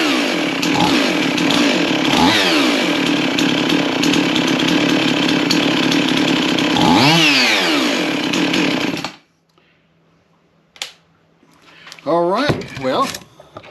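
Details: Chainsaw after spark plug cleaning: holds a steady high buzz about nine seconds with two clean rev sweeps and no stumbling before shutting off; running healthy.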